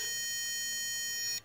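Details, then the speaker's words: Maxwell supercapacitor D-cell power pack feeding an inverter, input around 10.1 V: one steady high-pitched beep lasting about a second and a half, then quiet; the inverter's low input voltage alarm, with shutdown near 9.9 V. "you should hear the inverter beeping due to the low voltage and I'm gonna keep it going until it shuts up there you go that's the warning you got ten point one volts"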